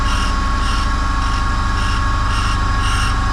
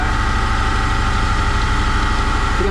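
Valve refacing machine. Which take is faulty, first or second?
second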